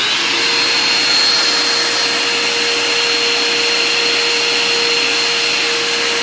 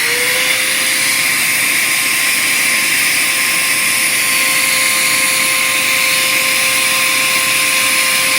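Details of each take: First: Bissell Powerforce Compact upright vacuum after cleaning, still with its dirty filter, during an airflow test: smooth, even motor whine with steady airy rush, no rattles; running healthy, airflow improved to about 56 CFM. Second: Bissell Powerforce Compact upright vacuum during restoration: high steady motor whine with no bog, motor spinning up too high because the airflow path is badly clogged.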